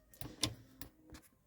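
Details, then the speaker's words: Camper fridge gas burner lighting: a few sharp irregular spark-igniter ticks then a soft poof as the burner ignites, small blue flame seen through eyepiece, normal operation. "There, did you hear that? That poof, that was it lighting."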